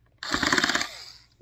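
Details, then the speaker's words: Cheap drill driving a screw: quick burst of rapid ratcheting clicks under a second as the clutch slips once the screw seats fully, normal, preventing stripping the screw. "If you hear it makes that kind of clicking noise, that means that it's in all the way, and you know it won't strip the screw or thread out."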